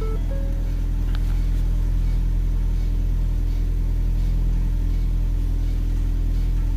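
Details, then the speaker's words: 2012 Ford Focus DPS6 dual-clutch transmission with a new TCM, code for clutch A stuck engaged, and stuck in high gear. Constant heavy drone with a fixed low hum from the transmission; the clutch A motor actuator is suspected. "clutch a motor actuator see the clutch a motor i don't like the way it's doing i think i think it's a clutch a motor doing that"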